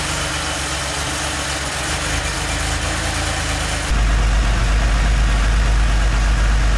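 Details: 3.2L Porsche 911 Cabriolet flat-six after head studs, cleaned injectors, drained old fuel and restored spark: picks up then settles into steady, deep, even rumble, no knocks or misses; running healthy.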